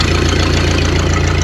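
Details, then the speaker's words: 1931 Ford Model A flatbed, sat over 30 years, first run after revival: loud open chuffing with each firing pulse at slow steady idle; muffler split wide open at the seam, exhaust leak. "That muffler is awesome. It's like wide open at the seam."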